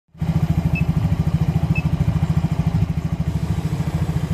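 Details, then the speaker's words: Yamaha Mio J scooter, injector already replaced without cure: hard starting, lumpy uneven idle with irregular pulses about three a second, sluggish pull and stalls when throttle released — rough running. "Mio J ini keluarannya susah starter dan juga brebet tarian berat kemudian lepas gas mati jadi matian motor lepas gas mati"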